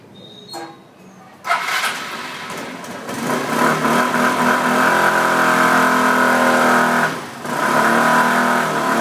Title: Access 125 humming sound...